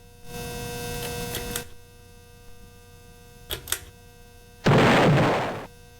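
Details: Ceiling fan running with a constant low electrical hum and a steady buzzy tone; loud hum, cause not yet pinned down.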